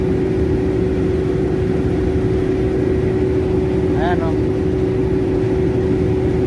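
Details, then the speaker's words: Generator running with alarm: steady single-pitch alarm tone over even running drone, coolant overheat warning (oil pressure also mentioned); high coolant temperature alarm. "oh o pressure colan temperature sobrang init overheat"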